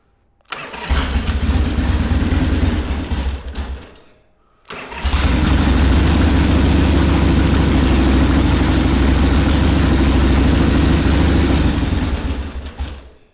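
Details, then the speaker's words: 1979 Harley-Davidson Ironhead Sportster XL1000 started for the first time in over 25 years, on choke. The carb popped off and is not yet secured. It fires, runs a few seconds, dies, then restarts and lopes unevenly: rough, unstable idle. "not really idling right let me take a look at the car real quick that's cuz the car freaking popped off"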